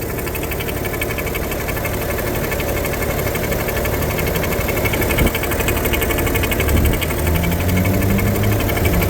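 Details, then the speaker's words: 2010 BMW 335d diesel at 168 (thousand) mileage, engine warmed to near operating temperature, hood open: even, steady clatter and low drone at idle, no misses or knocks; started without issues and revs nicely, normal idle. "as you could see the car also started uh without any issues current mileage 168 um again sounds good revs nicely"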